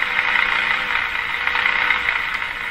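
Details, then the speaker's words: Canadian Westinghouse Model 684 radio during AM IF alignment, coil held near the first IF transformer at 450: continuous high-pitched steady moaning as the coil is moved in and out; IF stage oscillation. "Radio's moaning at this point. So that sound you hear is me sticking the coil in and out."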